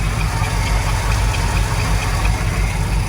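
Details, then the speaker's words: 1979 Ford Super Cab 4x4, 460 V8 with 4-barrel carb and dual exhaust, started cold at about 32°F: deep, steady burble at idle with even beat, no knocks or misses; owner says it purrs like a kitten; healthy idle. "But just listen to this motor. I mean, it just purrs like a kitten."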